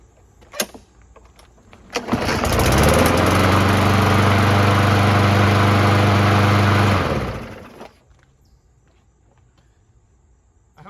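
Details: Briggs & Stratton Bolens lawnmower after replacing plastic carburetor, primed: catches on first pull, steady even drone about five seconds; starts and runs clean.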